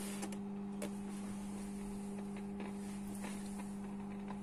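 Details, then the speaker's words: Philips BE 452 A valve radio during restoration, which included replacing the filter and coupling capacitors: a constant low AC mains hum with a clear overtone, steady throughout; the cause is not confirmed. "que se oye, ¿eh? Un zumbido en alterna."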